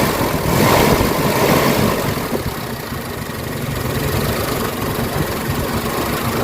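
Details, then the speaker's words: Mitsubishi Adventure petrol engine, warm, before XADO engine treatment, throttle delay and low power complaint; uneven shaky idle with wavering, dipping beat as if about to stall, rough idle, cause not pinned down. "Kita nyo yung nangangatalo. Parang namamatay siya, parang hirap siya sa wait, para ma-address natin yung problema ni Sir."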